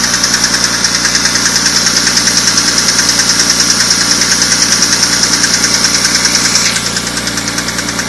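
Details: BMW E46 M3 engine running steadily with a sharp, high metallic tick about 146 times a minute; unidentified engine noise.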